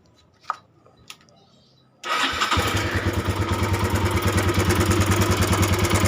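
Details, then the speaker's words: Honda Tiger 200cc recently fitted with new cam chain and tensioner, idling: rough engine with steady fast metallic rattle over the firing beat; cam chain or tensioner area suspected, cam chain cover to be checked. "suaranya ya l suaranya lumayan kasar dan nanti kita mau cek area tutup keteng dipastikan kalau emang tonjokan keteng atau area keteng aja"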